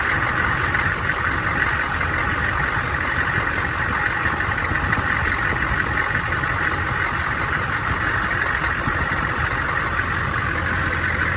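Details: Engine idling with odd high-pitched loose uneven metallic banging about three a second; owner suspects cracked flexplate or loose crank bolts, unconfirmed.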